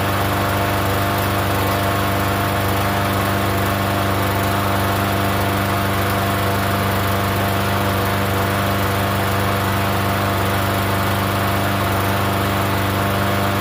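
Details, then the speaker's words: Free Yard Machines 21-inch self-propelled mower, not run in over a year, primed and started on gas: steady, even drone with no surging, sputter or knock; runs fairly healthy. "Okay, well it runs. It doesn't run too bad. So it's running on the gas."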